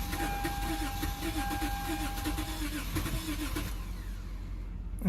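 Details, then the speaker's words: Lexus GS350 just revived from no electrical power after a battery install (40 A maxi fuse fitted), oil slightly low: steady rapid cranking for several seconds, never firing; crank no start, possibly no fuel in it. "don't think this has any gas in it"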